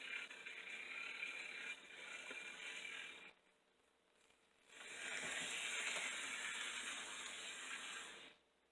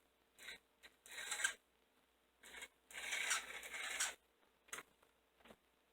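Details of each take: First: Old model locomotive (060) motor after oiling the bottom bearing and refitting the shell: light, even high-pitched hiss with short gaps, no knocking or grinding; quieter in forward motion, repair successful. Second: Old model locomotive (060) motor after adjusting the brushes: intermittent high, scratchy chirping squeal in short bursts like an angry chipmunk; bottom bearing needed oil.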